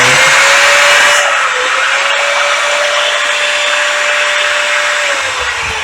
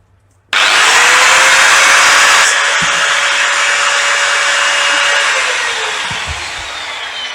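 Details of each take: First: Old Bosch S6-100 4-inch angle grinder before repair, front housing bearing loose and worn, switch also jamming: high steady motor whine with a faint rough edge, dipping briefly once. Front bearing to be replaced. Worn front bearing. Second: Old Bosch GWS 6-100 4-inch angle grinder after its housing bearing was replaced: spins up to a steady, even high whine with no grinding, then coasts down smoothly; runs perfectly. The sticking switch is to be changed next. Normal running.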